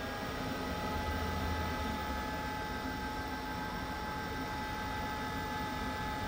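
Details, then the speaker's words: LG washer-dryer with dHE error (not heating), time dry selected, spin cancelled: even airy whoosh with a steady faint whine and no rubbing or rattles; the blower runs normally at cycle start. "Door lock already, showing dry indicator, dry already start. You can hear the noise. This blower already start."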